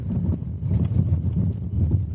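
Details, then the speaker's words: Ford Novo Ka driving about 20 km/h: irregular dull low thumps in clusters under wind rush, strong knock from the front left suspension/steering column on the side that took an impact, vibration felt in steering wheel; cause unconfirmed. "a dele tem um barulho forte fortíssimo"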